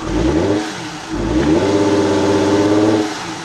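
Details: 2001 Ford Escape 3.0L revved and held near half throttle: flat, choked note that won't climb freely; vacuum about 12 inHg at idle fell to zero and stayed there, indicating exhaust restriction from a clogged catalytic converter.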